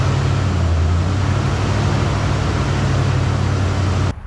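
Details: Ford Bronco with fuel-injected 302 V8, 4-speed, many parts replaced; steady, even low rumble with no ticking, puffing or misfire, quiet with no exhaust leaks, runs like a sewing machine; normal idle.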